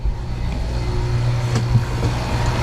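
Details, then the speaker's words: Dometic air conditioner on a Cruisers Cantius 50 yacht, after replacing the faulty unit that kept tripping the breaker, set to cold: steady even air rush over a low constant motor hum, no rattles or surging; normal blower operation. "now you really hear it blowing cuz I turned on the cold air get my light up here so you hear it blowing Air's going up there into that one which is then going forward to the stat room that I was just in"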